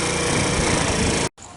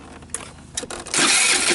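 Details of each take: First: Tao Tao Thunder 50cc scooter, kickstarted, idle lowered with the idle screw, owner suspecting valves still out of adjustment: busy, even single-cylinder chatter holds steady before cutting off; running normally again. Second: Tao Tao Thunder 50cc scooter at about 5488 km, after carb cleaning: engine catches in short ragged bursts, won't hold steady idle, tops out near 30, stalls after seconds or minutes, then is hard to restart until rested 30 seconds.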